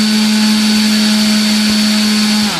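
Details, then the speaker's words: Volantex/Lanyu ASW-28 V2 sailplane with a replacement ESC, bench test with a slow throttle increase after a 26.44 A maximum. Clean steady motor and prop hum, then a smooth wind-down, about 262 W. Runs fine. "so 26.4 four amps of maximum current and that's reasonable now let's go ahead and give a a slow increase okay so it looks like we're pretty decent here"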